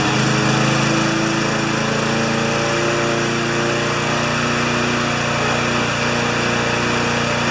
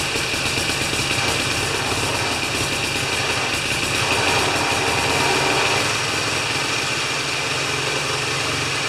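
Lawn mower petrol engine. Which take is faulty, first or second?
first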